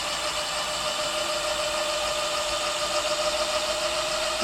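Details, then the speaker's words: Amyet e-bike hub motor spinning freely, new KT 30A controller with parameters set and wheel size 12, throttle raised gradually toward full power at assist level one; steady even high-pitched turbine-like whine, no grinding or clicking, normal. "okay so this is with the new controller swapped out everything situated in the right place parameter set let's hear it I'm G to go little by little let it uh gain some speed before I hit full power"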